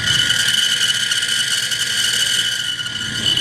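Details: Gas furnace/package unit inducer motor: harsh, high-pitched scream with constant gritty grinding; rusted inducer motor wheel failing, fixed by replacing the inducer.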